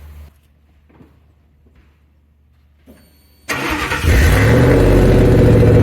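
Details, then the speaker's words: Truck after an exhaust drone fix: quiet cranking, then the engine catches and settles into a deep steady even idle with no rattle or buzzing drone; sounds much better than before. "well that sounds a lot better than it did before"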